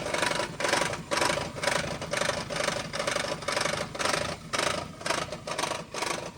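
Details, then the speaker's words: Car engine at idle after transmission work, owner theorizes reversed flex-plate; dry clicking about twice a second under raspy exhaust note, uneven idle, quiet with gas, exhaust suspected: clicking at idle, cause unconfirmed. "focus on listening to the engine itself, the engine sounds smooth. >> Yeah. >> But there's this click click click click."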